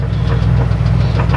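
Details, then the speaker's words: 1994 Chevrolet Astro van, 208,000 miles, idling: loud steady idle with a dull repeating knock about three or four a second. Clunk persists with belt on or off, so internal to engine. Owner suspects a serious problem, source unconfirmed. "I hear that clunking noise and it does it with the belt on or belt off so it's internal to the engine"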